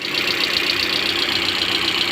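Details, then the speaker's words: Hyundai ix35 G4NA engine, about 140,000 km, after a rebuild for scored-cylinder knock (bored, oil jets fitted): first start gives a fast, even idle with a hissy upper tone and no knocking. Runs fine, oil pressure good. "запуск двигателя работает чудно давление масла работает"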